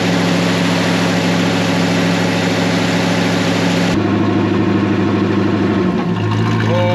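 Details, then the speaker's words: 1972 Chevrolet Nova third-gen project assembled from spare parts, first run after tracing the coil wire: smooth, even idle with steady low drone, no knocks or misses; runs cleanly, though it later lugs in gear and timing is pulled back. "As you can tell, she's running. She sounds like the meanest golf cart on the 9th green."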